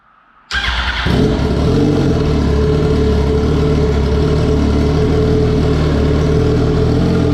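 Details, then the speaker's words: 2004 Yamaha R1 wreck rebuild with a new fuel tank, no exhaust fitted, after charging the battery: catches after a moment, then settles into a loud, raspy, steady idle with open pipes. Normal idle, no misfire. "yeah she starts she runs now i don't want to run her too long i don't have the exhaust on right now um i just basically wanted to hear it run so that's good that it starts up runs good"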